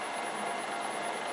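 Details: Rebuilt Land Rover LT230 transfer box (V8 type) spinning on the bench with one output shaft held and the front shaft at 180 RPM: steady, high, thin whine over a hiss from straight-cut centre differential gears, showing the differential is working.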